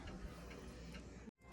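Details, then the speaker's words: Home heating valve ticking at night: sharp ticks about twice a second over a low hum; the repairman found the valve's old, worn internal spring was the cause. "여기 보면 밸브에요 밸브에 안에 보면 스프링이 들었어요 스프링이 오래되다 보니까 이게 스프 문제였네요"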